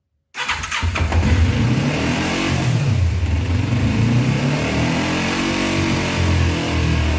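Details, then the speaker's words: 2000 Kawasaki Ninja 250 sat a year, first start after cleaning carbs: twin held at high, wavering 4,000–6,000 rpm (redline 14,000) with uneven firing; only runs at high revs, won't idle, carbs still need rebuilding. "Believe me, that sounds worse than it is. We're running around 4,000 to 6,000 RPMs, and this thing red lines at 14,000. So I normally wouldn't like to rev them that high, but it's the only way it's running right now."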